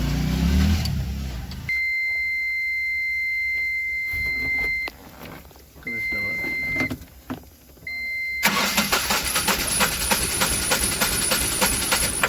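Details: Ashok Leyland Bada Dost 1.4 LS BS6 diesel that previously cranked but would not start: dash beeps, then it catches quickly and settles into an even, steady idle clatter; normal idle.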